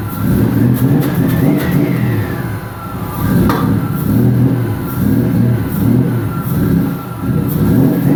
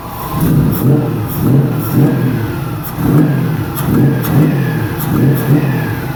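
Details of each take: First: 1999 Nissan Frontier SE, turbocharged VG33E, newly built and run briefly without coolant after leaning the mixture toward 14 AFR: revs rise and fall cleanly and settle evenly, with no knocks or misses. Healthy running. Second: 1999 Nissan Frontier VG33E turbo first startup, no coolant or radiator, after ECU timing and air-fuel changes: idle surges about once a second, never settling, running too rich with smoke; air-fuel to be raised toward 14.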